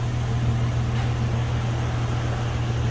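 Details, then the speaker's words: 2008 Toyota Tacoma at idle after fitting a new Walker Quiet-Flow stainless muffler: a low, even, soft exhaust hum with no rasp, ticking or leaks; very quiet and healthy. "Yeah, so the car's running and you can barely hear it. That is quiet. That is quiet. So these Walker mufflers are what they say, quiet."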